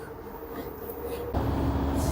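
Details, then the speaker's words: LG washer model F4V5RGP2T, under one year old, running empty in quick-test mode. The drum spins up to about 1370 rpm with a steady roar and even hum, no knocking or rumble; bearings, seal and spider are normal. "Now you can hear the noise. It is normal, no any abnormal noise. The bearing, seal, perfect."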